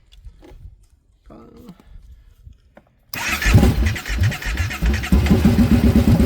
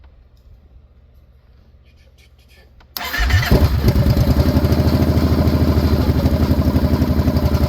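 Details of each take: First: 2014 Kawasaki Brute Force 750 fuel-injected ATV with a no-start: it catches and runs rough only when gas is poured into the intake, confirming no fuel delivery; wiring, fuses or the fuel pump suspected. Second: 2014 Kawasaki Brute Force 750 fuel-injected V-twin ATV, previously no-start, after repairs: quiet at first, then the engine catches almost instantly and settles into a steady, even idle with no misses; normal start and idle.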